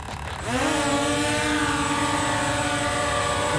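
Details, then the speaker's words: WL Toys XK X1S GPS drone in stable hover: motors spin up with a rising whine, then settle into a steady, even multi-tone hum; a motor sounded off before takeoff, cause unknown, but now all rotors sound smooth and normal. "it sounds okay now guys i gotta be honest with you i'm not sure what the issue was but look at this it's nice and stable"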